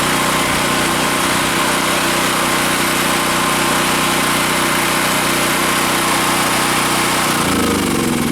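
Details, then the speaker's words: Generac 5500 generator after rusty tank cleaned and the clogged fuel shut-off valve tank screen cleared, which caused the no-start; small engine holds a steady, even drone with no misses or surging, note changes as it's shut off. Normal running. "so folks cleaning the gas tank and that screen that sticks up in on the fuel shut off valve is what was wrong with my generator"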